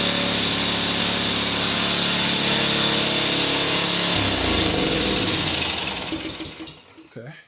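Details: Ariens Professional 21 snowblower, 3.6 hours, after draining bad gas, freeing stuck carb float and new fuel line: small engine starts on choke, runs loud, steady and even for several seconds, then shuts off; running fine now.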